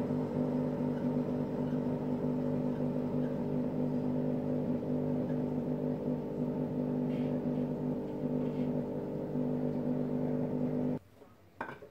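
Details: Hotpoint Aqualtis washing machine: steady droning hum with a rough growl underneath as the drum spins up; drum bearings just started failing that day.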